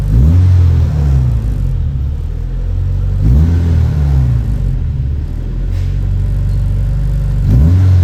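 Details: Honda Civic EK with check engine light and high idle (throttle body/IACV reportedly cleaned), at warm water temperature: idle reaches about 1400 rpm and bounces up and down every two to three seconds; unstable high idle.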